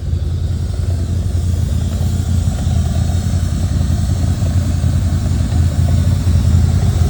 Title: This is my c4 corvette rough idle no cooling errors